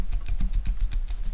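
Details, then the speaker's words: TVR Speed Six cylinder head stripped on the bench: quick regular dull clicks, about seven a second, as an exhaust valve is rocked in its guide; far too much play, worn exhaust valve guide. "There's maybe one on cylinder one that has slightly more play than the rest in the guide. But the two exhausts I've done so far are a lot worse."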